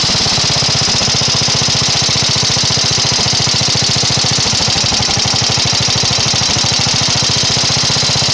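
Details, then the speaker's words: 12hp flathead vertical-shaft Briggs & Stratton single-cylinder engine after carburetor main-mixture-screw adjustment: fast, even exhaust beat with no misses or knocks, idling and revving nicely, tuned. "you can see it revs up nice it idles nice it's uh sounds good at the higher RPMs and it should be tuned and ready to go"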